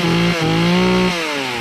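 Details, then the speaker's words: Remington RM4620 chainsaw cutting after the bogging fix (cleaning, fresh fuel, cleaned air filter, spark arrestor removed); it holds a high steady buzz under load that eases only slightly, with no bogging. "that's how you get these cheap remington saws up and running with no cost"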